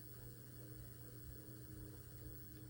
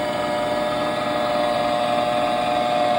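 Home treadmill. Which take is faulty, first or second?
second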